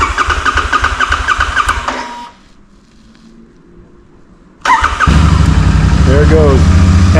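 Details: Royal Enfield Super Meteor 650 twin with dual pipes, not started in a while: strong even exhaust pulses, about three to four per second, then it cuts and fires straight back up cleanly; healthy start and rev.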